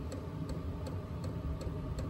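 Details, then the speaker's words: Diesel heater starting on a Jackery power station at about 100–140 W startup draw, glow plugs hot: sharp, even dosing-pump ticks about 2.7 a second over a low fan rumble as diesel ignites; normal startup. "okay so you can see the fuel pump just kicked on so we're up past 100 now uh you can hear the diesel igniting and all that good stuff"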